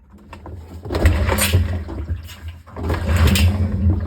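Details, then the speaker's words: Whirlpool first-generation Cabrio washer, rust and water traces at the bearing: drum spun by hand gives a loud, deep rumbling grind in two pushes, failed tub bearing needing a bearing job. "you hear that? Yeah, super loud. Bearing's gone. So we'll have to do a bearing job on this one."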